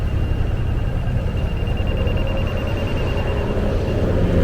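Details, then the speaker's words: Laser grade receiver on a stick reading a rotating laser: fast, even high-pitched beeping over low machine rumble, showing the spot is within a few inches of grade. "We're getting closer. We're within a few inches of it."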